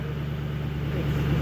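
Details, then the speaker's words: 2007 Ford Mustang after replacing fouled and damaged spark plugs that caused stalling, power loss and misfire: low steady idle rumble with no stumbles, firing evenly and healthy. "great, man. It sounds so smooth. I love it. Awesome. Hell yeah. It's ready to go. That fixed the problem."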